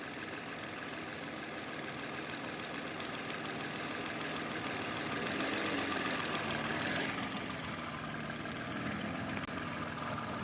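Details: 2006 Toyota Avalon 2GR-FE, nearly misdiagnosed as locked engine over an incorrectly installed starter: quiet even idle with soft steady hum, no knocks or misses; healthy.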